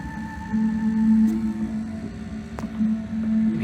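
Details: 1986 Sony SL-700 Betamax VCR on playback: tones bend and waver in pitch instead of holding steady; owner wonders whether capstan stability is the cause. Cause unconfirmed.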